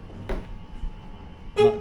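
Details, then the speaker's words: 1963 Hillman Super Minx, key on, after cleaning charging-system connections: two short, clear, strong horn toots about a second apart over a quiet background; horn working. "now how do you like that he horn works"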